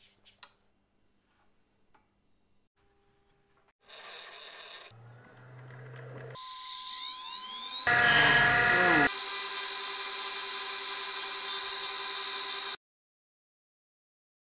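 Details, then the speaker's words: Kent KGS-200 surface grinder, first pass before the mag chuck is dressed. A harsh, uneven buzzing rasp and whistle rides over the steady wheel whine. This is chatter, likely from a chipped wheel that stoning didn't fix. "a fair bit of chatter on him something tells me the chip stone didn't help"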